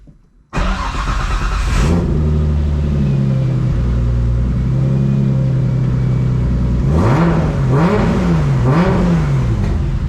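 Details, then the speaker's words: Nissan R32 Skyline after fitting a Kinsler cam-driven mechanical fuel pump, Radium external FCST and cam trigger kit, timing set: short crank, then it fires and idles steadily with three clean rev blips; needs extra cranking to build fuel pressure; normal running. "wow we got the car started up uh set the timing and she's running great"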